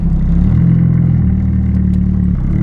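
Steady deep engine rumble with a smooth even beat and no misfire or knock; it starts and runs normally.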